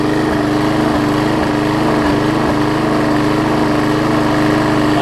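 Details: Six-horsepower Quantum-type Briggs single-cylinder on a 20-inch Murray mower, run outdoors after the carburetor jet and bowl were cleaned. A steady, even buzz at constant speed with no misses or surging; normal running.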